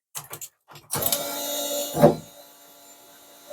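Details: Mk1 Ford Capri with turbo Rover V8, first start on newly wired ECU and fuel system: a few clicks, then the engine fires for about a second amid smoke before fading out; won't keep running, cause unconfirmed.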